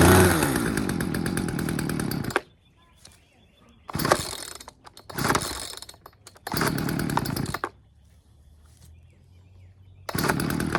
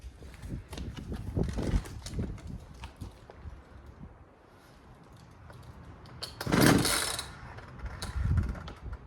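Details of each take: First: Poulan 2150LX two-stroke chainsaw that would not start, after carburetor low- and high-speed screws were set to 2 turns: crisp buzz revs in short bursts and drops back, now firing and running normally; throttle slightly sticking from a fuel line against the linkage. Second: Poulan 2150LX chainsaw that will not start: several hard cord pulls without firing, each followed by an uneven, funky scraping rewind that doesn't fully retract; worn recoil starter spring.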